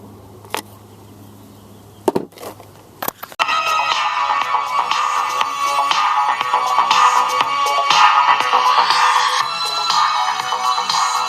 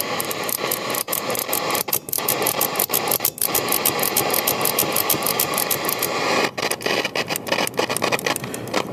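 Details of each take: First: European-made RCA Victor AM/FM/shortwave portable transistor radio after replacing bad AC151 germanium preamp transistor: after switch clicks, music plays clean and steady, no crackle or hiss, no erratic current draw; repaired, normal audio. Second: European-made RCA Victor AM/FM/shortwave portable transistor radio, rusty and moldy: steady hiss with rapid crackling ticks regardless of tuning, from bad germanium transistors in the preamp.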